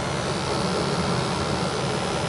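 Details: New Ruud 80+ gas furnace replacing a 34-year-old unit, at start-up after combustion testing: a steady, even roar with no surging, popping or flutter; normal burner operation, with gas pressure, CO2, oxygen and stack temperature all in range.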